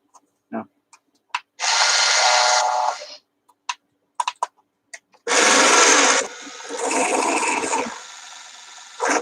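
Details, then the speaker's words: Stream repair of a robot dog toy ("Canine") with suspected split gears, testing which wheel drive fails: two harsh high-pitched grinding buzzes with scattered clicks; owner thinks it isn't even the motor shaft gear, and it can't go forward. "that sounds really bad. I don't think that's even the motor shaft gear."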